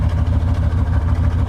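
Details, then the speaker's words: OBS GMC Yukon after fuel tank relocation with new fuel hoses, leaking fitting retightened, running on original two-door gas tank: steady, even low rumble with smooth regular beat, no knocking or ticking; healthy idle. "there it is guys she's running on the two-door gas tank guys that's the original"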